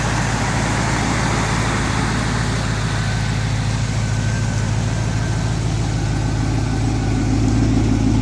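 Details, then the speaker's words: Stock 2006 Pontiac GTO LS2 V8, 20,790 miles, on engine stand with GTO harness and fuel system, first run after 9 years stored, exhaust from a 98 Camaro. Deep, steady idle, even low rumble, no knocks or misses; normal idle. "good to hear it run after 9 years."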